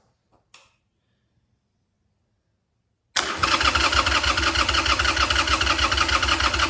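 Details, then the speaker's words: Harley Sportster after an engine oil change, with 2.5 quarts in the tank: cranking with the choke deliberately off so the starter pumps oil through. About three even starter pulses a second, and it never fires; normal cranking without a start. "Purposely didn't pull the choke out so the starter can get things pumping. Now let's try again."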